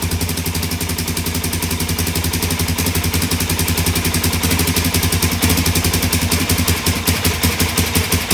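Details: 2017 Suzuki DR-Z400S single, stored with fuel left in carb, after carburetor cleaning and priming. Fast, uneven popping idle that wavers and stumbles. Sounds lean; owner plans opening fuel screw to three turns.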